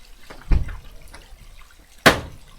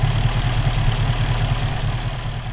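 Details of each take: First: Rover P5B coupe V8 with a misfire appearing when hot: clicks, then cranks, catches and runs with an uneven stumbling beat, attributed to a loose distributor nut, during rotor arm and condenser replacement. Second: Rover P5B V8 idling evenly with a steady low rumble after fixing a hot-engine misfire: condenser replaced and a loose contact-breaker spring nut in the distributor tightened; now running fine.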